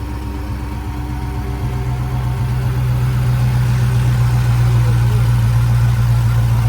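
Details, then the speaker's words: Dodge Hellcat Redeye, supercharged, owner suspects fuel pump: low idle with uneven loping pulse about four beats a second, wavering as if dying; trouble starts at idle. Rough idle. "I can hear one die. It's just like when you go idle, that's when it start doing that shit."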